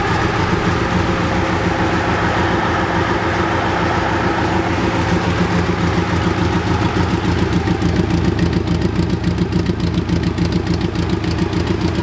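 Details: BMW K100 cafe racer, after off-camera repair of the no-start problem: steady even idle pulsing about 200 times a minute, no stumbles or knocks; running smoothly.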